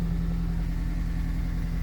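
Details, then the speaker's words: 2003 Honda CR-V (2nd generation), 334 (stated) kilometers, after fuel pump relay replacement cured crank-no-start and stalling: low, smooth, steady idle with even hum and no stumble, tick or surge; normal idle. "so this car has already 334 kilometers but it's still running right bye"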